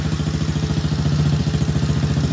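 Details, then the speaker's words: Kids ATV after carburetor cleaning and new plastics: steady, quick putter at idle with an even beat and no stumbles or misses; engine idles healthily and sounds strong, no adjustment needed. "Yes, guys, as you can see, it's running pretty good. Idle sounds good."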